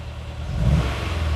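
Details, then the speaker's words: Honda S2000 after new spark plugs, coil packs back in original positions: starts better but still runs rough, with an uneven, lumpy beat as revs climb instead of a clean pull; failing coil pack suspected. "No. Still as rough as before. It started better. I will say that."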